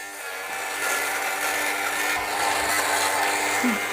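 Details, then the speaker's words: Fabric shaver's small motor hums steadily under dense, crackly crunching as blades cut pills off fabric; crunching fades as pilling is removed. "i'll keep going until i don't really hear that crunching sound or that grinding sound that you hear"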